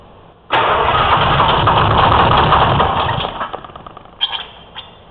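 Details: 04 Ford F-350 with Detroit 6V53 two-stroke diesel and Allison MT-653, start after rebuilt blower install replacing one with leaking end-plate oil seals: catches at once, settles into even clatter, no surging or runaway; runs normally.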